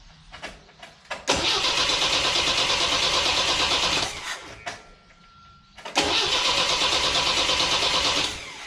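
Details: 1977 MGB MkII four-cylinder, barn-stored 31 years, fuel gravity-fed from a temporary tank to the carb: two long bursts of steady cranking at about three turns a second, never firing. Cranks but won't start; a loose wire was later found.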